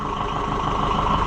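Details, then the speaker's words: Oliver 550 diesel tractor at steady, even idle during wiring work before being shut down, low chug with no knocks, misses or rattles; runs healthy. "I hate to shut it off cuz it's just I like to listen to it. It just makes me happy."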